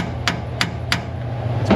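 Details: Ford Ranger axle seal being hammered into aluminum housing: sharp blows about three a second, the last one ringing duller and solid as the seal bottoms out; seal fully seated.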